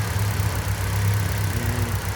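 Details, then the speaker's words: Mitsubishi Lancer 1.6 running on petrol and LPG, with misfires and stalling, after a short warm-up at idle: slightly uneven, lumpy beat instead of smooth hum; cylinder 1 misfiring. "chwilę sobie popracował i już zaczyna kuleć na jeden"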